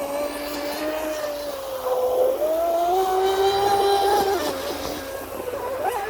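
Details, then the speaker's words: Fast electric RC mono hull boat in a wide turn with the strut raised too high: a steady, high motor whine climbs, then breaks up as the prop blows out of the water, cavitates and spins free, losing acceleration; the hull caught a rail and spun out. "it kind of lost caught a rail and and spun out the prop come out the water spun out so so the strut's too high"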